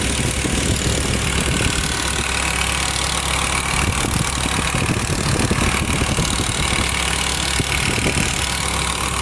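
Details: BMW E60 M5 with the S85 petrol V10 idling steadily, a light ticking mixed into a hissy, busy top end.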